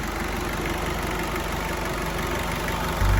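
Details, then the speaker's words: 1992 Isuzu Rodeo with a 3.1 turbo diesel from a 92 Trooper (JDM powertrain), 5-speed 4x4, chassis at 276k miles, new fuel filter, just started: an even, unhurried diesel clatter at idle with no misses or surges. The engine sounds healthy. "I'm going to fire it up and then we can listen to it all right I think really good Diesel"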